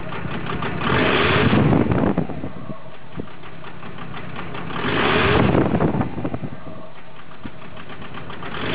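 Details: VW Golf Mk4 TDI diesel at idle: clatter with revs surging and sagging every few seconds, a rough, hunting idle.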